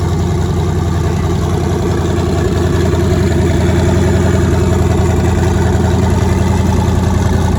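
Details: Nissan 240SX with twin-turbo LSX V8, first start after new turbo setup, out of gear, running on Holley Terminator X wizard base tune, fuel pressure not yet set: deep steady V8 burble firing evenly, no misses, knocks or ticks; normal idle.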